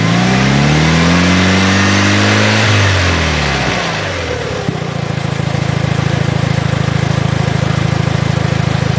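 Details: 2006 Mitsubishi Evo IX: engine revs then falls to idle, metallic rattle loudest as rpm drops off throttle, only with clutch engaged, quieter when cold; throwout bearing suspected, not confirmed.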